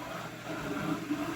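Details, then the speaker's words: Märklin 34988 KPEV P8 model steam loco, running slowly up an incline: a steady dry whirring rasp. Owner thinks the noise comes from the trailing tender rather than the locomotive. Mechanical running noise, part unclear. "so noisy and I hope that noise is nothing bad but like I said I really think that is"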